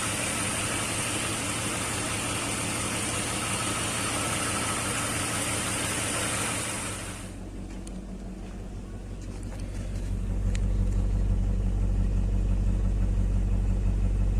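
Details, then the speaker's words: BMW M62B35 V8 after timing chain rework (cams reset with tools, new water pump, seals): settles to a low, even idle hum with no chain rattle or ticking; sounds healthy. "Вот такая теперь у него работа тихая."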